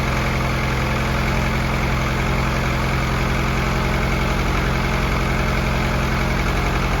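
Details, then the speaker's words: Freshly built F24 engine on its first run, oil pressure confirmed, not yet warmed or broken in: smooth, even idle hum with a steady low beat, no ticking, knocking, misfire or leaks; normal idle. "we got no leaks nothing looks and luck everything looks good motor sounds good and healthy"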